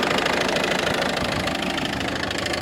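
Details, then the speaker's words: Ford Focus 2 1.6 diesel at idle. Fast, even ticking knock on top of the idle, clearer from below at first, then from above; owner suspects a pulley or tensioner roller, not confirmed. "стук интересный двигателя здесь как вроде бы нормальный сверху СТ снизу вот такой вот Сток"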